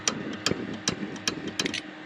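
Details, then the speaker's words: Dometic RM7732 RV fridge on gas mode with Dinosaur Electronics Micro P-711 board: igniter keeps clicking about 2.5 per second; gas, voltage, thermocouple and electrode tested good, faulty board replaced. "we've got gas we've got a good voltage Supply everything is fine except for the logic of this"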